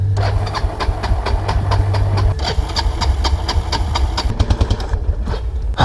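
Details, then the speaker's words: 1999 Kawasaki Prairie 300 ATV single-cylinder on test drive: uneven, lumpy beat stumbling and sagging near stall, sounding rich; owner fears fouling the plug, doubts choke stuck since cable moves, later suspects carburetor float stuck. "hoping i don't foul a freaking plug the choke isn't like stuck on is it it can't be because the the cable's"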